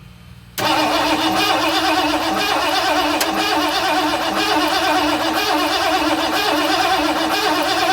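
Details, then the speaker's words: 1978 Ford F-250 flatbed with a 460 that sat about 15 years, during an HEI ignition install: steady cranking with no firing, no start. Gas seen shooting out of the fuel pump into the block and puddling under the truck. "I had Jackson turn it over a couple more times and I can actually see gas shooting out of the pump and into the block."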